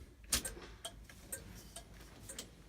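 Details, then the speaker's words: 1983 Chevy K10 with an LS swap, key on after the grounds were cleaned: crisp, even clicks about twice a second as the turn signal flasher ticks normally, though a fan is unexpectedly running. "I got turn signals I have a fan running huh weird"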